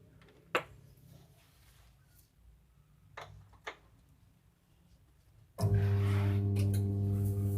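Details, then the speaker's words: Washing machine whose wet motor will not spin one side: a loud steady hum with no rotation. The motor is suspected; the capacitor, which got wet and may be shorted, is to be replaced first to check. "Tuh teman-teman, cuma bunyi dengung tok. Ya, kedengaran begitu. Sebelah tapi pelan. Berarti ini mesinnya barangkali."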